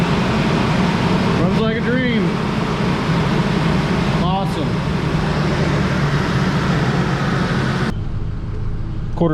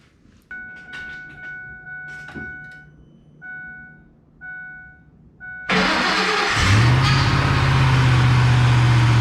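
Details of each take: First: Ford F-150 after engine swap, first run once the throttle body connector was plugged in: steady, even idle, smooth low hum, no knocks, ticks or misses, good oil pressure and charging; normal idle. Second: Ford F150 with a $100 Marketplace swapped engine, first start: chimes, crank, catch, brief flare then a flat fixed idle; codes show throttle actuator control motor circuit open, forced idle, throttle body likely unplugged.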